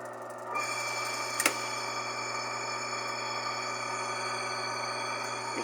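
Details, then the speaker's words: Electrolux LF90 washing machine with an oil leak, running its drive: a steady whirring hum with a thin high whine that grows louder as load increases. Worn bearing in the mechanism suspected, to be replaced. "esse barulho é sentem está com a correia tem sem peso quando aumenta o peso então aumento barulho"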